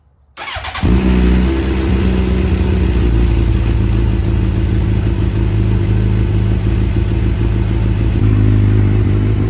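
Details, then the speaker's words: 2009 Suzuki GSX-R 750 that would not stay running, after fuel pump reinstalled and tank refilled: fires first crank with no hesitation and settles to steady even idle. "she sounds like a brand new bike girl there was absolutely no hesitation it started up right away"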